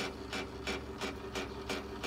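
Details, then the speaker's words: 2005 Porsche Cayenne S power folding mirror, driver's side, after degreaser spray: rasping grind bursts about three a second as motor strains; bad gear in fold mechanism. "this one keeps making that noise this is that gear i was telling you about on the other side that is bad"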